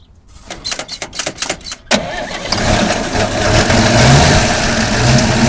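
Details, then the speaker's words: 1957 International, after fuel pump cleaned and fuel lines blown out: uneven cranking bursts, then fires and settles into an even steady idle with solid low rumble; runs well, though a rear head soft plug has popped. "got fuel up to the carb started it up actually drove it around the block but uh it popped a soft plug in the back of the back of the head so now we got to fix that but we'll fire it up anyways fcker runs pretty good"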